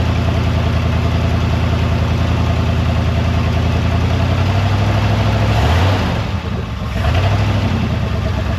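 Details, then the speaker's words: 1973 Mercury Montego GT, 400 cubic inch Ford V8, sat ten years, first start after revival: deep, steady idle dipping briefly near six seconds and recovering without stumbling; idles healthy on its own, oil pressure good. "hell yeah out sitting there idling we just bought us a good one folks"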